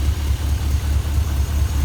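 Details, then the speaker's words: Junkyard 5.3 V8 (LS) in 1955 Buick Special build, warmed to full temperature with about 40 psi oil pressure: deep idle with regular stumble every few beats, owner sure cylinder number seven is skipping; cylinder misfire. "it runs good oil pressure is good i let this thing run all the way up to temp and i still had like 40 pounds of oil pressure when it was hot all the way at temp but it's got a skip and it's number seven i'm sure"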